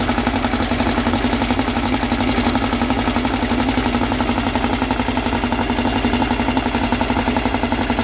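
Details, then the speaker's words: Freshly assembled 2054 engine on its first start after nearly a year of building, carbureted. Brisk, even pulsing at a raised 1200 rpm idle with a faint gear whir and no knocks or misses; the idle is kept high for break-in. Normal fast idle. "ele já está com uma marcha lenta de 1.200 não vou baixar marcha lenta agora vou colocar mais acelerada nele para as coisas irem no lugar e aí depois a gente considera baixar essa essa marcha lenta"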